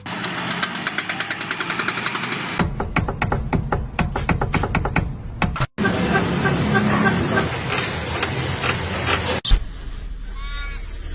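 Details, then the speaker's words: Car suspension (kaki-kaki): quick runs of rattling clunks and knocks from underneath, typical of a worn suspension; common suspension problem sound, owners told to have the suspension checked. "Ini dia suara problem kendaraan di area kaki-kaki yang sering terjadi."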